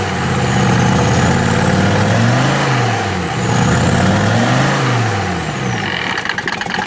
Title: 93 om602 mercedes rough idle